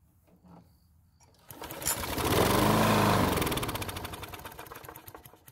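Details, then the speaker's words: John Deere mower that stopped running suddenly and wouldn't even try to start: with fuel poured into the carburetor it fires and revs a few seconds, then fades and dies, pointing to the fuel system. "now to rule out that our problem is related to the fuel system I'm going to add some fuel to the carb and then try starting it"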